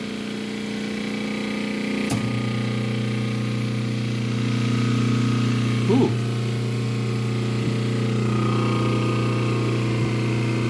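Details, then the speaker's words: Transformer in a Fortus 400mc 3D printer setup, just after switch-on at the circuit breaker: a steady low electrical hum at one even pitch with slight vibration; normal. "yep okay so the Transformer is humming and that's okay that's good"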